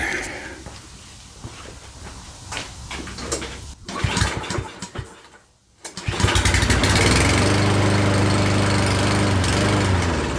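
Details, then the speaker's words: Certified push mower from Canadian Tire, not run for a long time, choke opened: a few pulls and sputters, near stall, then steady drone only after starting fluid sprayed twice, eventually smoothing; cause unconfirmed. "so that actually is pretty easy I uh when I just sprayed some in there it fired up and then it was about to die so I sprayed it one more time as it was about to die and it kicked back on and then kept running the the whole time and eventually it kind of smoothed itself out"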